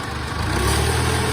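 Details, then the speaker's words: Farmall Cub tractor with planter unit and side dresser, engine running steadily as the lift is raised; a faint thin whine on top is the normal hydraulic bypass on these tractors, nothing wrong. "little whine right there. That's normal with these tractors. That's the hydraulics. It's a bypass."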